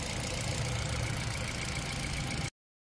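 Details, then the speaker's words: Kia Rio that would not start and showed no check-engine light, ECU checked; after repair it starts and holds a steady, even, smooth low idle with no misses or knocks; normal idle. "Umaandar na siya. Anan oh. Umiikot na oh."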